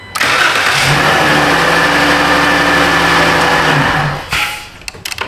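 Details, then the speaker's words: 2013 Dodge Grand Caravan no-crank fault, starter fine; start control-circuit powered through test light and fused jumper: brief crank, engine catches at once, settles to steady idle then switches off; starts normally; relay control side suspected burned. "Through our test light and through a fuse jumper wire. Huh. Double double safety. All right. Now, the car should start back normal."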